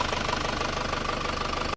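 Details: Car fresh from an engine overhaul with new thermostat, renewed hoses and oil-cooler pipes, temperature steady mid-gauge after 1 km: even idle with a smooth low rumble and no knocks or ticks; engine sounds healthy.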